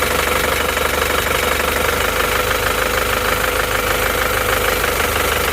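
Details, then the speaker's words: Isuzu Panther diesel after repair of a cracked, broken nozzle spring and equalizing all injector pressures: steady even idle clatter, no lurching or dropped strokes, cylinder 1 now pulling; normal idle, though worn nozzles still spray unevenly. "Oke, ini sudah menjadi lebih rata ya. mesinnya sudah goyang-goyang terlalu parah. Nomor 1 sudah ada tenaganya ini."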